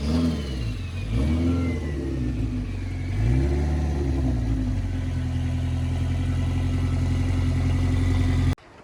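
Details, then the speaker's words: Mitsubishi Eclipse GSX AWD turbo drag car, nitrous test hit at 4000 rpm, too brief to build boost with the large turbo: revs up and down, holds steady hard drone, cuts off; deliberately rich mixture, black smoke. "all right so that was just a quick uh test hit of the nitrous so that was at 4000 rpm and i really didn't hold it long enough to build up boost"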